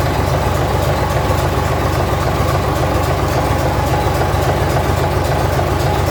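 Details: 1965 Gardner 6LXB 180 marine six-cylinder diesel on test run after rebuild (it had failed 80 hours after a previous overhaul), temporary cooling: deep, steady, even diesel beat with no knock; healthy running.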